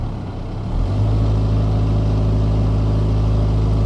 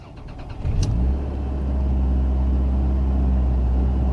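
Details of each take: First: 2000 Toyota Camry with check engine light, power-braked in drive under load: low drone with an uneven stumble of about four beats a second, cylinder 4 misfire (random multiple-cylinder misfire code). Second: 2000 Toyota Camry petrol engine after new spark plugs and wires fixed cylinder 4 and random misfires, codes cleared: cranks briefly, starts cleanly, smooth steady idle, no hesitation in reverse or drive, misfire counters at zero.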